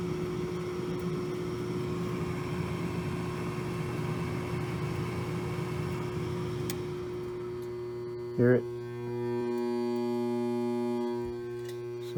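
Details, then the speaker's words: Race-shop furnace blower with an old shaft-through motor that spins freely by hand: a steady electrical hum and buzz, the motor never spins up smoothly, then a clunk, possibly a failed blower run capacitor. "it's either locked up or we're going to get lucky and it just needs a cap"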